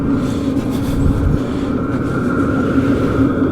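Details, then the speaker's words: Sivel diesel heater in an ice fishing shelter, warming up: a steady low rumble of the burn with a faint hum of the fuel pump, not terribly loud, no knocks or surges; running normally. "I hear the Burn you hear the pump going it's not terribly loud a lot of people complain about that pump and there other ways to quiet it but it's really not that bad"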